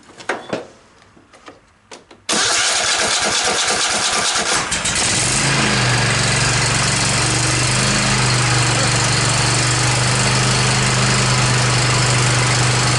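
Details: Cub Cadet XT1 46-inch riding mower after starter replacement: a few clicks, then a quick crank and the engine catches and settles to a steady even idle; normal start.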